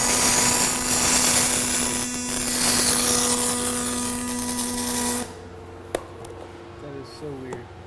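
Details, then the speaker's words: Fronius Fortis 270 pulse MIG welding aluminum without push-pull or spool gun: even, steady buzzing arc with a low pulsing hum for about five seconds, then stops; smooth, stable pulse weld. "I love pulse. >> Now we're using the technology."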